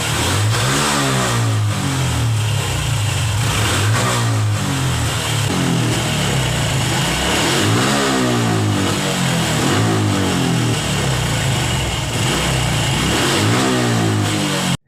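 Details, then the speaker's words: Honda Revo FI fuel-injected motorcycle with loss of power at upper throttle: repeated blips rise and fall back without pulling cleanly at the top, caused by a misadjusted throttle position sensor. "ini kedatangan konsumen dengan kasus ngempos gas bagian atas"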